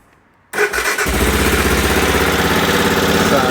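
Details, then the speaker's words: Aprilia Pegaso Cube, stone-cold start on choke with fuel on reserve, after a new battery and repeatedly cleaned carbs: catches quickly after a short crank and settles into a steady, even choked idle; normal cold start. "there we go. I'll turn the choke down a little bit. So that's not bad."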